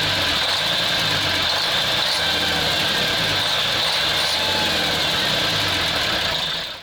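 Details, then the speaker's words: Praga V3S 6x6 truck diesel, long-stored, fuel injection pump turned fully the other way and needing repair: rough, uneven loping idle a bit over three pulses per second with a shrill hiss; owner unsure why, may run better under load. "The car works incomprehensibly. Perhaps it will work under a load."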